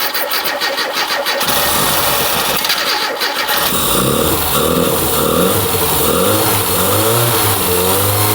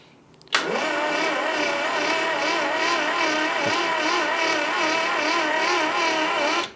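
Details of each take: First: Mini Cooper barn find parked for years. A seized alternator that had been causing smoke was identified. The engine then cranks, catches and revs freely with throttle blips, running steadily with no knocking, and the oil pressure light goes out. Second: Barn-find Mini Cooper, parked for years: starter drags engine over slowly and evenly for about six seconds with no firing; cranking too slow and no spark.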